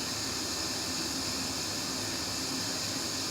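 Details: Sony home theater that had no sound, after soldering a broken 5 V wire that feeds the Bluetooth and indicators. Sound now returns as a steady, even hiss from the speakers with no crackle, pops or dropouts; the amplifier output is normal after the repair.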